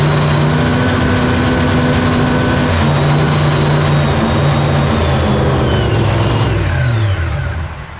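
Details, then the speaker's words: Nitro Hemi Cuda funny car first fire-up on gas, mag switch on: fires and revs hard for several seconds, then the pitch sags and it coasts down and quits; crew suspects it ran out of fuel. "It sounded like it just ran out. It does sound like totally just ran out of gas."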